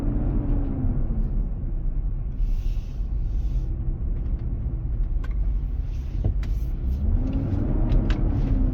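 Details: 2023 Nissan Armada, 4k+ miles, driving at about 95F inside, intermittent almost daily: deep steady roar with a droning tone swelling and fading. Eases at 45 mph, then returns. Dealer confirmed the fan clutch engaging to cool the engine.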